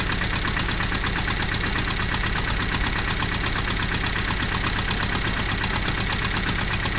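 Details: Porsche 924 with very hard starting that runs only briefly: uneven, lumpy running with irregular pulses that nearly die away, engine barely keeps going and wants to stall; cause being diagnosed.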